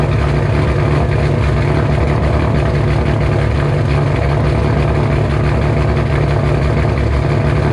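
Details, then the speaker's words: 2007 Shelby GT500 supercharged V8, first cold start after installing L&M NSR camshafts with Venomous Tuning tune: deep, loud, lumpy lope, steady and strong with no knocks or misses; idle expected to drop lower as it warms. Normal cammed idle. "first cold start with the normal idol and everything it's cold let's see how she sounds"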